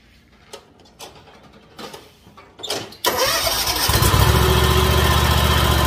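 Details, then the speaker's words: Dixie Chopper Magnum mower after yearly tune-up (oil, air filter, new spark plugs): clunks, then fires at once into strong, even idle, no misfire or rattle, no leaks, quieter than before service, good power; healthy engine. "perfect no leaks sounds good it's quieter than it was when i pulled it in it's got good power i'm happy with it"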